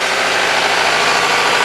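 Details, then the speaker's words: Toyota Camry, heard from inside the car, before draining battery for a jump starter test: steady even idle hum, no knocks or stumbles; normal idle. "see it's working you can hear the noise there the old car engine's rolling that nice battery that i'm going to drain"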